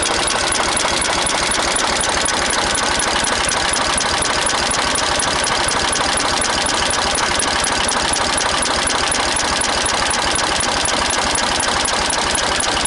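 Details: Renault N70 tractor diesel at steady speed: a sharp, regular knock about four times per second rides over the diesel clatter; engine knocking, cause undetermined.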